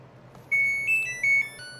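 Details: Samsung 7.5 kg automatic washing machine after replacing the power supply board, whose burnt IC had left it with no power: three short, clean electronic beeps at slightly different pitches answer each button press; control panel responding normally.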